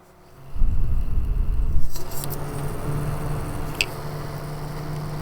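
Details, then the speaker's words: PSU fan removed from power supply and run on test extension: loose, uneven rattle over a steady low hum settling into rough whir; bearing no longer holding, worn fan bearing. "that that's sound that means something on our bearing it's not holding it anymore and since it's sitting like this in the computer every time it turns on it does that sound right"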